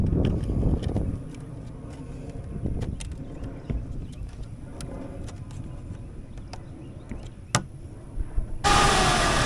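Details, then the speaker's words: 2001 Jeep Cherokee XJ automatic, new electric cooling fan fitted after its fuse was found blown, probably because the old fan had seized; a 40 amp fuse has since been fitted. Idling with light ticks until the engine gets hot enough, then a loud, even rushing whoosh as the fan switches on normally. "all right it definitely works now there you go I just had to wait for it to get hot enough"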